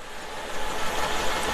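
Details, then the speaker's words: 2004 Mercedes-Benz E500 wagon V8, 330,000 miles, idling with an uneven stumbling misfire on the second cylinder back; plugs, wires and coil packs already replaced, owner suspects a stuck lifter. "what the issue is is i have a stuck lifter a lifter is causing my issues on my 330 000 mile motor"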